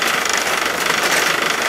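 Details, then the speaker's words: Old electric trimmer, modified, burning and working extra hard under heavy load: harsh strained high-pitched roar with rough uneven buzz; overloaded motor that burnt up shortly after. "oh it's it's burning let it go we have it's working extra hard keep"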